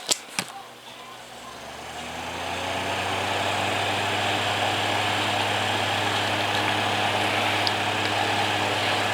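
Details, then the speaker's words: Holmes HACP9 6-inch oscillating clip desk fan, made October 2001, possibly shaded-pole motor, switched on high with oscillation off: spins up over two seconds to a steady even hum with airflow hiss; normal fan motor running. "pretty neat sounding fan without the oscillation on"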